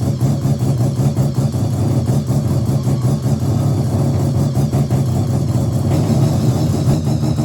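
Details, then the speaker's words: Mazda RX7 bridgeport 13B rotary, EFI conversion on a borrowed Microtech ECU, untuned, 700cc injectors: choppy uneven burble at idle, no throttle response; rough idle awaiting a tune. "So, there you have it. She runs. So, pretty happy with that. It still does need a tune, but I will go around to Beans when he gets his 626 back."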